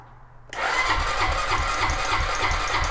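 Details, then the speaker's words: ATV start on a lead-acid battery charged for an hour and a half by a 50 W solar panel through a mini MPPT charger: half a second of quiet, then a quick crank catches at once and settles into an even, steady idle; normal start. "look at that it actually works"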